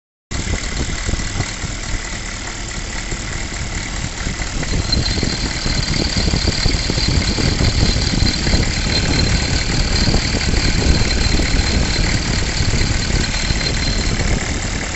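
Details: 6.5 liter V8 diesel at idle with smoke coming from the crankcase: a rough, loose rattle over its deep steady clatter; the cause is unknown.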